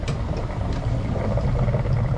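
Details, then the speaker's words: Old water heater tank being drained outside; after top lines are loosened to let air in, a steady low rushing and gurgling of water flowing out evenly; tank draining normally. "I didn't think it was going to work because a minute ago I did it and nothing came out but once I un loosen these and allow air into the system it started coming out"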